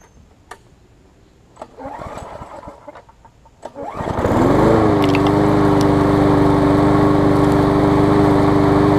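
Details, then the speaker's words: New 2013 Murray push mower that lost compression when a hard piece of rubber stuck in the intake valve, started after the rubber was removed: catches after a few pulls and settles into a steady, even run with no misses; normal running. "you see it's running great now"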